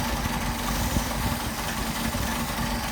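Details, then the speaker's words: Mercedes 190SL with rebuilt Solex carbs, idling a little over 1,000 rpm: uneven lumpy ragged idle, running rich; leaking throttle shafts drawing air and an external fuel source suspected, idle mixture not adjustable. "they're leaking and drawing in extra air, and the extra fuel causes the engine to almost stall."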